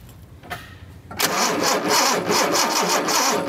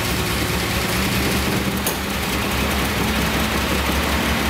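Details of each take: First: 1976 Datsun 280Z fuel-injected engine: starter cranks steadily, about three compression pulses a second, no firing; no spark on the tested cylinder, spark plugs to be replaced next. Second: 1976 Datsun 280Z, fuel injected, on its first start after sitting, with fuel pressure: it catches and settles into a steady even idle, then later dies; mouse-packed foam blew out of the exhaust.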